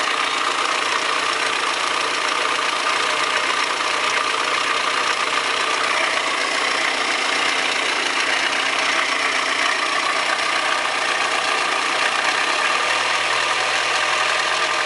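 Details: Audi 100 2.0 16V petrol engine at idle with a busy, metallic rattle over steady running; owner suspects bad lifters or rod bearing, unconfirmed.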